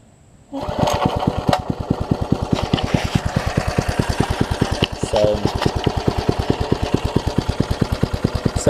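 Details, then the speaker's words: Troy-Bilt Tuffy rear-tine tiller at full throttle after reassembly and carburetor diaphragm refit, one carburetor screw not fully in: single cylinder pops unevenly, labouring. It keeps running only on full choke with a finger over the intake. Runs only on choke. "full throttle right now bull chose and will run I just hold my finger right here it pulls up and ungass pulls up enough gas to run at least 4:15 a.m. so that's that's an encouraging sign that it will start and run on its own"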